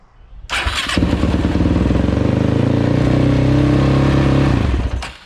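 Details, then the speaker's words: Yamaha YFZ450 on a new replacement battery (old one read 12 volts but failed to crank): cranks once and catches straight away, settling into a steady, even single-cylinder idle; healthy start, old battery suspected. "Even though it's giving me 12 volts, I think it might just be the battery because I just put on a new battery and it starts up like nothing."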